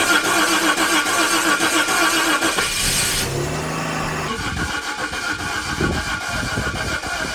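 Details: $200 Jaguar just given a swapped engine: cranks briefly, catches and settles into a steady, even idle with no knocks or misfires. Oil pressure is building on the gauge, but the car is not charging. Normal start and idle.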